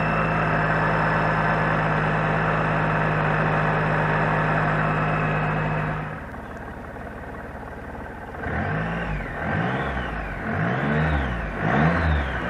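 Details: Gold 1800 engine: even idle, then repeated rev blips bring an extra mechanical noise that rises and falls with engine speed; cause unclear.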